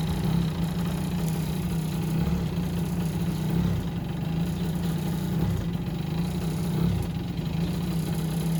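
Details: Yamaha Jog two-stroke scooter, previously wouldn't start after winter, ticking over at a steady low idle, even buzz with slight wavering but no misfire or knock; running fine.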